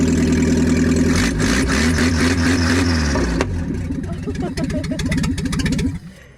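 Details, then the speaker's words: 1987 Toyota Hiace van, first start after head gasket replacement with the exhaust removed: very loud, deep boomy burble with uneven popping settling to idle, like a boat; engine running well, loud open exhaust needing the exhaust refitted. "Oh man, I could cry. I am crying. Oh, he sounds like a boat. Yeah, we need to put that exhaust back on."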